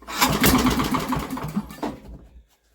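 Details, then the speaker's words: Old Briggs & Stratton generator with a new carburetor on a very cold, windy day, flywheel checked and a good fat blue spark confirmed: it chugs and pops, nearly catching, then dies after about two seconds, firing but not starting. "it fires wants to go but it just isn't"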